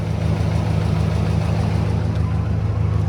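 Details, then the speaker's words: Warm Ford Mustang GT V8 idling parked, deep steady rumble with a faint quick ticking, heard more on the driver's side; owner suspects lifter tick, unconfirmed. "I don't know if y'all can hear it or not, but yeah, surely you can hear it right there. It's ticking pretty"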